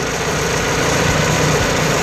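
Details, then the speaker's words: EF Honda Civic B-series engine idling after a drive, with a timing belt that kept loosening, checked after the fix: owner suspects a too-long bolt. Steady smooth idle, no popping, ticking or belt slap; fans not kicking on, engine not hot. "I don't see any problems at all other than the fans not kicking on for some reason."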